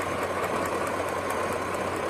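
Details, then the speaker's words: 2004 Chevy Tahoe with coil-on-plug ignition, code P0300 random misfire, stalling and stumbling at idle; at idle, sharp faint snaps about five a second over the engine hum on one bank, one coil arcing and causing the misfire. "No arcing here, but you can hear it over there on that side. We just got to find out which one of these is arcing. Okay? We gotta look for it. It sounds like this"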